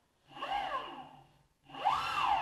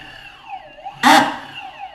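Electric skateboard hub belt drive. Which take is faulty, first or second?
second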